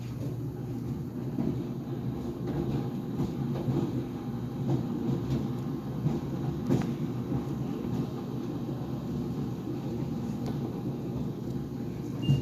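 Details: GE Profile Harmony dryer restarted for another minute after its door popped open near the end of an 11-minute sneakers cycle: low tumbling rumble with scattered, irregular thumps and bangs on top; drum banging, cause unclear.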